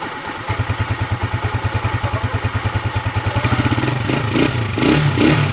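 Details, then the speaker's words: TMX 155 motorcycle after repair of cat-like noise and whine in 1st, 3rd and 4th gear; even single-cylinder thump about three a second, revs climb smoothly without whine or clatter; normal running, noise gone. "Tapos sobrang saya ng may-ari, wala nang ingay yung kanyang TMX."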